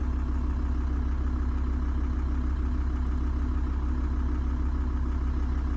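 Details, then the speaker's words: VW T4 diesel van, 70,000 miles, new PP0.5 injectors, injector quantity adjusted in software up to 4.2–4.4 mg per stroke: low steady even diesel idle, no flutter or hunting; return to idle now perfect. "okay and now we've gone up to 4.2 to 4.4 for the return to idle is now perfect"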